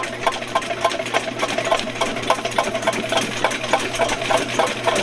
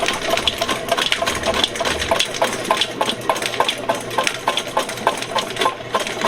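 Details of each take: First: VEVOR 75 ft x 1/2 in auto-feed drain machine held in neutral as the spinning cutter works a sewer blockage until it frees: sharp ticking clatter about three a second over a steady motor hum. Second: VEVOR 75 ft x 1/2 in auto-feed drain machine in forward, feeding cable into a sewer line: steady motor hum with an even rhythmic clatter of about 100 a minute, no bogging or jamming; normal auto-feed operation.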